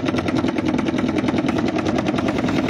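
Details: Panasonic washing machine, noisy gearbox: fast even hammering rattle, about eight knocks per second over steady drone while running; loud knocking, owner suspects it comes from below, gearbox area, not confirmed.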